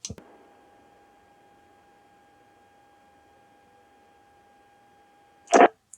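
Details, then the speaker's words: Radio Shack HTX-202 2-meter handheld on low power, audio taken directly off a receiving radio after repair for noisy transmit: steady clean tone over a dead-quiet background, no hiss or buzz, only key-up and release clicks. "so as you could hear it's nice and quiet now no more noise yay yeah i think we're good"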